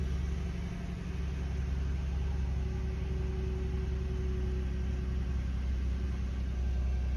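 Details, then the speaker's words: 2013 Ford F-150 no-start (code P0627, no fuel) after replacing the fuel pump control module: smooth even low rumble holding steady idle with no stumbling, misses or stalling; engine now idles normally. "he stays running and I called it a success customers cars fixed"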